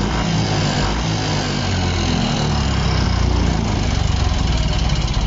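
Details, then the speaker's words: Yamaha Fino 125 scooter with a very rough engine that won't hold idle and stalls. Loud, coarse clatter over the engine note that grows louder as rpm rises. No smoke. Traced to incorrect, too-loose valve clearance; no engine teardown needed. "Gas. Cepat. Suaranya parah, semakin digas keras, suaranya semakin keras. Semakin naik RPM, suaranya ikut naik. Suara berisiknya."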